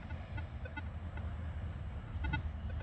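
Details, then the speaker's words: Minelab Equinox 800 metal detector with sensitivity raised from 20 to 25: brief stray beeps over a low hum, chattering from excessive sensitivity; recommended to drop back to about 20. "you want to make sure your your metal detector is stable not chattering or anything like that all right but you can increase this up to 25 hear it starting to chatter there"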